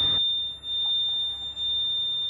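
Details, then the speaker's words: Bobcat micro digger, ignition on with engine off: steady, shrill nonstop oil pressure warning buzzer that stops when the engine oil pressure switch is unplugged; faulty pressure switch. "Hour meter works. God, that's a horrible noise. Right, let's find the engine oil pressure switch."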